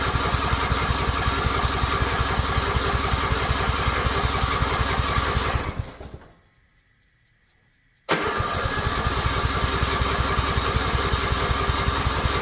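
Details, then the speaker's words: Riding mower, in park with choke on: steady starter chugging for several seconds, a pause, then more cranking; engine never fires or catches, cause unknown. "like it wants to, but it's just not it's not catching. And I don't know why."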